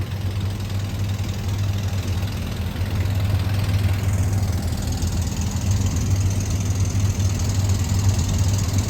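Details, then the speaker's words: M38A1 Army truck, choked, warming up at idle: steady low idle with fast ticking puff; exhaust manifold leak, likely warped manifold, to be replaced with new manifold; exhaust manifold leak. "I worked on it before tried a couple things and uh it just seems there's some probably pretty good warpage to that exhaust manifold"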